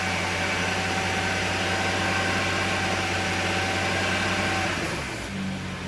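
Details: BMW 335i petrol six at idle, plugs, coils, injectors and turbos replaced within the last 3k miles, oil changed every 5k: steady light tapping about four per second, only at low rpm under light or no load; owner suspects beginning rod knock.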